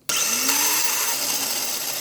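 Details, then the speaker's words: Toyota Wish starter motor bench test: loud rough high whir with a loose rattly edge starting abruptly; front and rear bushings severely worn, shaft off-centre, causing weak pinion throw and intermittent no-start despite a charged battery. "所以像现在你可以听得到，其实它的前后铜套已经是磨损的非常严重，所以声音是这样，"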